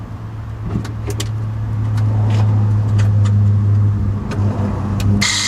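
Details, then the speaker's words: 2014 Tesla Model S 85, 8 years and 106,000 miles, pressing the brake: a steady, low droning hum with a coarse buzz from the electric brake vacuum pump, expected wear at this mileage; worn noisy pump, replaced. "So this component is a vacuum pump. You've got an electrical connection here, and then you've got an air connection here, and it's just creating pressure on your brake system."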